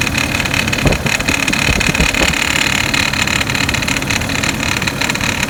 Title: 2006 Hummer h3, rattling noise after replace serpentine belt